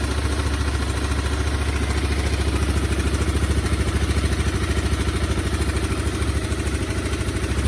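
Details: Honda CBR250R left in a yard 5 years, fresh fuel and a generic battery, first start and warming up, likely stale gas still in it: steady single-cylinder thump at a fast even idle with slight revving, no knocks or misses; runs and idles.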